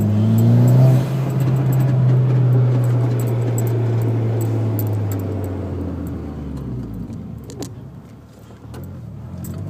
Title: Rattling noise, off throttle 4k